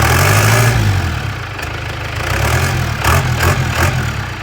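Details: P-pump 4BT Cummins on an engine stand, about 98,000 miles, Bosch P7100 pump, high-torque starter, HX30 turbo, upgraded exhaust manifold; lumpy diesel clatter settles into a steady, throaty idle with no odd knocks. Normal diesel idle.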